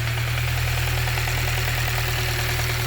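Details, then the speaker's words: Honda Civic EP2 with K-series swap, IACV blocked off, idling: steady light even tick about three per second over engine, distinct from injector sound which is heard separately; source not identified, new noise since idle fix. "don't know if this ticking noise is right at all mate [Music] definitely not i can hear the injectors separately so it's a different sound"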